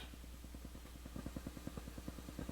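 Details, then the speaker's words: Returned Crown CSC-850F amplifier (static complaint) at full volume in tape mode: steady low put-put pulsing about nine beats a second where only faint hiss belongs; owner suspects a dirty recording bar switch needing cleaning again, unconfirmed. "So there's a noise. I don't know what it is. Probably coming from the recording bar switch, needs to be cleaned again. But it shouldn't be making anything. Shouldn't be hearing anything but hiss."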